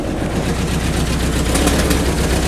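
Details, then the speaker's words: 1991 Volkswagen Vanagon after a neighborhood test drive on a hot day; steady low idle under constant rushing whoosh of the already-running radiator fan, even with no misses or knocks, coolant gauge normal; normal idle with cooling fan running. "You can hear it's a hot day, so the radiator fan's already on, but you can see the coolant gauge there is not giving me any trouble at all, so there's nothing to worry about."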